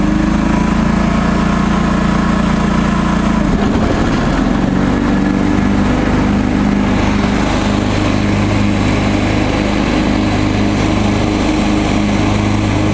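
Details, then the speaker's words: John Deere 445 garden tractor, restored, hydraulic oil and filter changed, blades sharpened, greased: brake off, mower deck engaged, smooth steady drone deepens and fills out as deck kicks in; even, unlabored, healthy under load. "so let's take the brake off and I'll turn the mower deck on for you"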